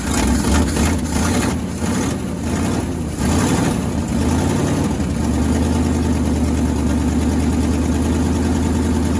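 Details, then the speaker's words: 1963 International Harvester Loadstar 1800 truck, first start in 20+ years, carburettor fed by a hooked-up pump: rough for the first few seconds, then a steady, even idle with no knocking or misses; oil pressure gauge not reading; normal idle. "Oil pressure's not really doing anything, but I don't hear it knocking, so we must be good. They've added in another tack, and that one works. Man, she don't sound too bad though."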